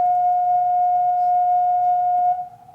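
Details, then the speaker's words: $100 NEMA23 180W 3000rpm easy servo driving a lathe electronic leadscrew, tuning gain raised to 13: pure steady high-pitched singing tone, right on the edge of resonance, fading as gain is eased back to 12; gain too high. "in fact yeah let's go ahead and try it there and if it oh nope nope i can hear it's right on the edge"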